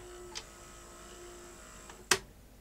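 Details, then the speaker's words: Panasonic AG-4700 S-VHS deck with TBC (K-mechanism) with a tape inserted; two faint clicks over a thin hum, and the cassette won't eject; no whirring, so not the loading motor coupling; mode switch suspected. "eject now it's not going to eject uh you can get problems with the loading motor coupling but when that happens you hear it making a woring noise but that's not what's happening here"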